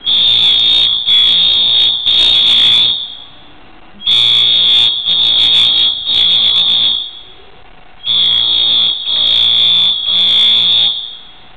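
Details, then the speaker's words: Apartment building fire alarm going off for 30 minutes, recorded in the hallway, sounding in every room: high shrill tone in three long blasts then a short pause, repeating about every four seconds; fire alarm sounding continuously. "This has been going on for 30 minutes. And it's everywhere."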